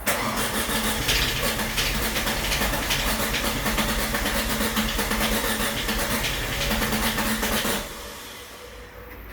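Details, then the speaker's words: Audi A4 B6 1.8T quattro, start attempt after an engine refresh and timing belt job: steady starter cranking at nearly three beats a second with no firing. Cam timing is found off by one tooth on both sides. Crank, no start. "right well i think i found my problem the uh i did do the timing belt and it looks like it's off by [Music] like a tooth both sides the notches are not facing up it's top dead center together"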